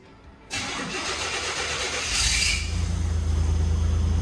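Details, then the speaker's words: Buick Grand National after welding the exhaust pipe joint to fix an exhaust leak underneath: starter crank then steady even low idle, no exhaust rasp or puffing, nice and quiet again. "yeah that's nice and quiet again"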